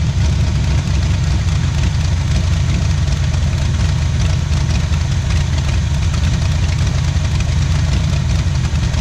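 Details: 1977 Pontiac Firebird V8 ex-drag car, abandoned about 36 years, first run after revival on a cold start, left idling to open the thermostat: loud, deep idle with an even, choppy lope, steady and strong, typical of a big cam; it runs healthy.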